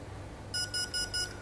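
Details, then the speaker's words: ESC on a 3-cell LiPo in programming mode: three short, even high beeps about a quarter second apart, the menu tone for cutoff mode (one is brake, two is battery type). "the first one is break two short tones is battery type three short turns is cutoff mode"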